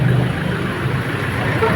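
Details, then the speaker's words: Toyota Hilux diesel after replacing the alternator pulley and timing belt, which had caused a helicopter-like noise and the T-belt light: low, steady, even idle with no flapping or chatter; normal idle. "Oh, suwabe na mga boss, wala nang ingay."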